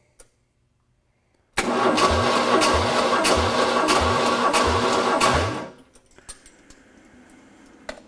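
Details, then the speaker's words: Ford 302 V8 for a 1967 Mustang, compression test after cam run-in: even starter cranking with plugs out, strokes matching; cylinder reads 140 psi, short of the hoped-for 150; normal compression. "Right, that's 140. Not quite the 150 we were hoping for. Yeah, as long as they're nominal."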